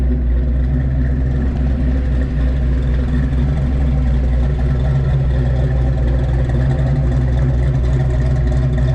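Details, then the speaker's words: 1986 Fox Body Mustang, 408 stroker V8 with Holley EFI and MSD coil, after locked oil pump repair, initial startup and distributor sync, untuned, too much timing: lumpy steady idle, deep burble, no ticking or knocking, sounds healthy; wind noise present. "i'm gonna do a little walk around let you guys listen to it it sounds good it does have a holley efi system on it for a fox body"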